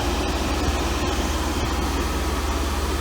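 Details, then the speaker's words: 1992 Mercedes W124 300E M103 after head gasket job, AC on with fans running: crisp clicks every half second over engine and fan rumble as the mono heater valve cycles, described as normal. "can hear the mono valve going on and off on and off so weird here's your mono valve you hear that from what i've read that's normal that's supposed to be doing that"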